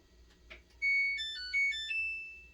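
A short rising electronic melody of clear tones plays as the washer powers up, with faint clicks before it; normal startup.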